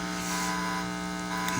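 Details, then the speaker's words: Cheap amplifier with reused speakers from a broken sound system: steady low electrical hum with a buzzy edge in Bluetooth and auxiliary modes, from the amplifier's inexpensive Bluetooth/MP3 module; radio mode plays clean. "no sé si escuchan ese zumbido en acá en el celular el que estoy filmando y en modo Bluetooth se escucha ese zumbido es un poco molesto"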